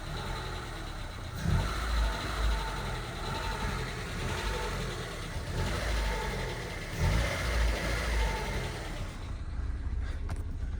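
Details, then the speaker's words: Honda Civic, hot after driving: dull repeating knock deep in the block that appears once warm — rod knock. "that's a rod knock here we go now we can really hear that rod [Music] knock so she has a rod knock like I said"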